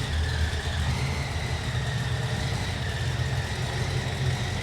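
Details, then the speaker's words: 1968 Chevy C10 V8 with small cam on 2005 Ford Explorer chassis, just started, seemingly with oil pressure: steady even idle with a faint thin whistle above it; source unknown. "i want to know what that whistling noise is there's a little whistling noise i don't know what that is that doesn't sound right"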